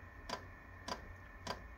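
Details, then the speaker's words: Portable diesel heater run from a motorbike battery at startup: sharp even fuel dosing pump ticks about every 0.6 seconds over a quiet hum, pulsing normally but loud. Normal dosing pump ticking. "let's just see if this works see if she clicks we got a click"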